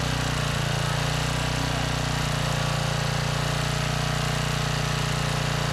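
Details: Trash-salvaged 5000 watt Generac generator with new carburetor, kill switch wiring just fixed (switch had been upside down): steady even single-cylinder drone with regular beat, no misses or knocks; running smoothly.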